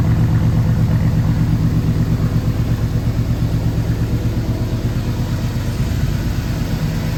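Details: 1965 Ford Galaxie 500 390ci V8 with new Holley Sniper EFI, running in basic closed-loop learn mode; steady, slightly loping low rumble at idle with even beat throughout; normal idle.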